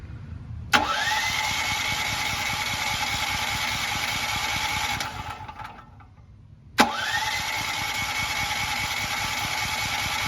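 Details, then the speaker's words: New Firman T07573 tri-fuel portable generator on liquid propane, switched to LP/NG with the propane valve fully open: two bursts of steady starter whirring with no catch or firing. It cranks but won't start; cause unknown. "red lights on I do not know why it's not starting with liquid propane"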